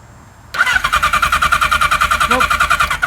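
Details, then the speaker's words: 1977 Kawasaki KZ1000A on a jumper battery after carburettor cleaning and new spark plugs: the starter spins the engine briskly, about three compressions a second, with no firing; no spark, so the points need checking. "spark no spark so we have to go through the points"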